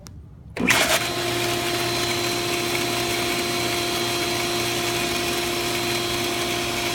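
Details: Commercial pool pump motor starting and running with a steady whirring hum and faint thin whine; suspected failing bearing or shaft seal, water shoots out of lid from pressure when pump shuts off.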